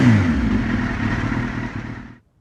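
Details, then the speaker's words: Suzuki GSX-R K2 race bike project, first start after fuel pump primes: crisp, even bark as the sportbike engine revs and settles, no knocks or rattles, then shuts off; running healthy. "wait there we have it she lives so yeah awesome well please do that sounds really nice actually"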